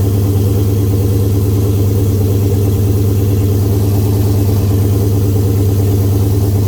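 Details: Oldsmobile 442 V8 first start after rebuild (new cam, pushrods, oil pump, valve springs, heads, gaskets following broken valve spring, bent valve, scarred piston); 92 psi oil pressure; deep even idle with steady low rumble, no knocks or ticks; normal idle.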